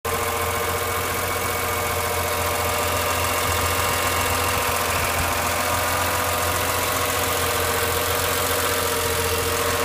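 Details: BMW E46 M3 idling, with a steady whirring whine from the engine bay; cause not identified.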